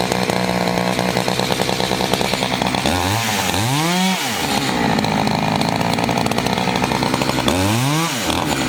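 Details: Chainsaw of roughly 50–60cc (owner unsure, maybe 58), 3/8 pitch chain on a 24-inch bar, on its second tank and barely broken in, cutting old wood: a full-throttle scream sags briefly as it bites into the log and recovers fast, normal cutting under load.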